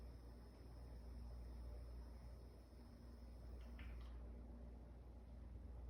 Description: Just showing the noise I get when I’m in game and out of game with the Corsair sf 600w power supply. When you hear me alt+tab is when the buzz goes away. When I’m in game is when you hear the buzz start up again.